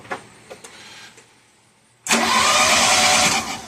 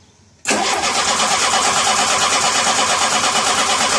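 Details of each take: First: 1985 Shelby Charger at first fire after a new fuel pump, tank, fuel rail, plugs, wires, coil, cap and rotor: faint clicks, then a harsh, ragged roar that never evens out. Ignition timing is off. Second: 1985 Shelby Charger, fuel lines re-routed and the pump primed, with a line popped at the fuel rail: the starter cranks briefly, then the engine catches and settles into a rough, busy idle; it runs but leaks.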